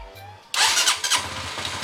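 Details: Honda CBR150R single after engine overhaul fixing a broken internal bearing that caused metallic knocking, worst on cold starts, and clutch housing noise: catches with a sharp burst, settles into steady thumping idle, no knock.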